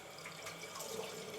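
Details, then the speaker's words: Caroma Stylus dual-flush toilet cistern: quiet, continuous watery hiss that never stops as water keeps running into the overflow; inlet valve leaking through, from a worn washer or faulty valve. "if this valve is leaking because the washer is worn or the valve itself is not working properly, you normally hear this hissing sound and it doesn't stop. It just keeps going."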